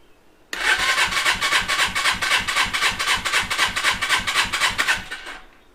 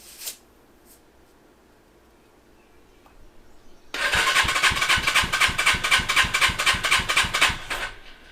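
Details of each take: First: Custom Suzuki GS450 scrambler twin with idle problem, compression test at full throttle, choke off: steady cranking pulses about four per second, no firing; cylinder reads about 125, low compression. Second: Custom Suzuki GS450 scrambler twin, compression test, key on, full throttle: starter cranks about four seconds with even, strong beats about four per second; cylinder reads 140, within 130–170 spec, normal compression.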